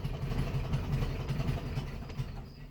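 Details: 1967 Volkswagen Beetle first start after long storage, carburetor modified with choke eliminated, jump pack on a low battery: lumpy, stumbling idle with uneven gaps, owner suspects it's down a cylinder; misfire, cause not confirmed.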